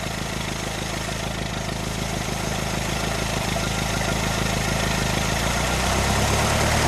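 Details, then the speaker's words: 1925 Ford Model T, hand-cranked and idling: after the spark is advanced and timing corrected, a steady, even beat of about three pulses a second with no misses or stumbles; smooth idle. "and you can hear how much better the engine runs once you've Advanced the spark and got the timing correct"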